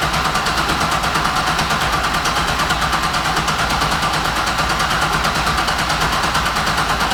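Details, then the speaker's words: Big-turbo LS6-swapped Volvo wagon, Holley Terminator X ECU, VS Racing 7875 turbo, first start attempt: steady even cranking that never fires. Owner suspects the ECU isn't sensing engine rotation, so no ignition: crank, no start. "what i'm assuming is for some reason it's not sensing that the engine is turning over and thus not turning on any ignition or anything like that"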